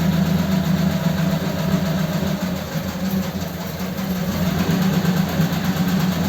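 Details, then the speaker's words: Ford 8BA flathead V8 with Richard's Holley 94 carb on another truck, before a road test: steady, slightly lumpy low idle with no knocks or misses; idling cleanly. "okay well that started up okay didn't it so good"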